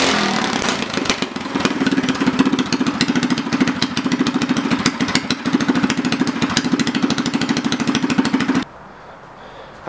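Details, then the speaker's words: Predator 212cc go-kart engine, governor removed, after swapping to heavier Honda 18lb valve springs, on jack stands: steady fast even firing, then cuts off cleanly; sounds healthy. "right so before I wrap up fire it up good sounds good runs good"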